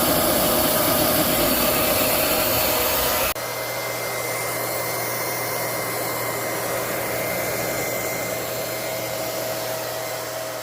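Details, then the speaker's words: Liberty model 331 transfer pump, after replacing a loose bearing that caused a horrendous loud noise, primed and running: steady even motor hum and whirr, no grinding, much quieter; normal running after repair. "Here goes, the moment of truth. She's all primed. Let's go. Much quieter."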